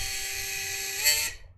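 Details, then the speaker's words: FPV drone, motors tested one by one on the bench: high steady whine with a rough edge and vibration, then spool-down; a motor is hitting the capacitor, fixed by moving the capacitor away. "is that hitting something that's what it is it's hitting my bloody capacitor"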